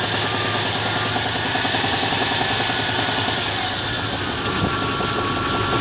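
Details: V8 truck with a reportedly rebuilt engine, 10,000 km, knock started two months later: a light rapid tapping about three per second at warm idle. Owner suspects a front pulley, maybe bottom end; not confirmed.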